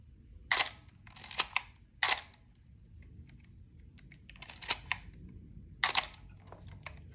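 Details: Canon A-series 35mm film camera: several sharp shutter firings, some doubled, each with a short dry rasp instead of a clean snap; the known A-series shutter squeak, cause unclear.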